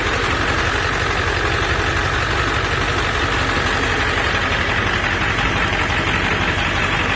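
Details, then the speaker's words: 1999 Ford F-350 with a ZF6 transmission at 299,000 miles, with the engine resealed and a new water pump and thermostat: a steady, even diesel idle clatter with no misses or knocks. Normal idle. "water pump is new thermostat is new it sounds healthy very healthy"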